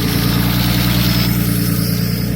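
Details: Nissan R32 Skyline with RB20, first start after engine install on Christmas Day, no air temp sensor, turbo not yet making boost (one pipe unhooked): deep, even six-cylinder burble at steady idle, no stumbles or knocks; noisy injectors noted; runs good.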